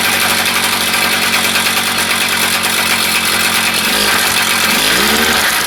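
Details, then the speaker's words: Small single-cylinder engine on a Jumping Jack running fast and steady with a rattly buzz, brief dip and pickup near the end, after a suspected tank fuel-flow issue was cleared by pressurizing the tank. Normal running. "All right, well, that, you know what, it seemed to run."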